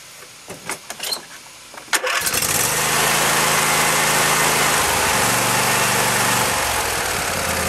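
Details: Husqvarna YTH22V46 yard tractor, Briggs and Stratton 22hp Intek V-twin, first start after new Champion RC12YC spark plugs: a few clicks, then catches at once and settles into a smooth, even run; healthy.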